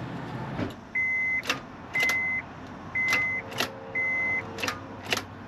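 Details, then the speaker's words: 2007 Honda Pilot no-start: with the microphone under the hood, sharp single clicks about once a second between warning chimes and no cranking. It started once, then would not restart. A starter is suspected, but the loose battery terminals that can mimic it are not yet ruled out. "so that clicking noise Clues me in that it might need a starter but before condemning the starter we want to make sure that our battery terminals the positive and the negative are on nice and tight"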